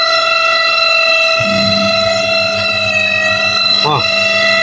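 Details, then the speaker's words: Toshiba VH-J120MM semi-auto washing machine on spin timer (wash already checked fine both directions): loud, steady high-pitched screech held through the spin over the tub's low hum, a worn spin seal rubbing on the shaft, not the motor. "Ok, nampak dia pusing. Boleh dengar lah tu. Boleh dengar tak? Mesin mengilai."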